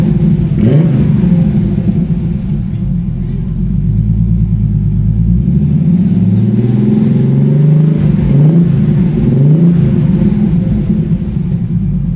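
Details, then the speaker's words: TVR 290S on MS2 (Megasquirt) engine management with TFI black CCD ignition module and wrapped manifolds, after months of trying: deep steady idle with clean throttle blips rising and falling smoothly, no misfire or stumble; normal idle and free revving, more tuning still needed. "so that's it after months of trying to get the tvr to run right it's idling free revan fine now it starts up really well as well"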